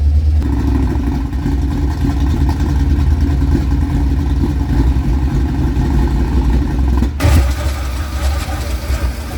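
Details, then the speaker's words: 1976 K5 Blazer that sat 5-8 or more years, oil black and unchanged: a deep steady idle rumble, then a clean rev near the end with no misfires or knocks. Confirmed runner. "well it's a confirmed Runner"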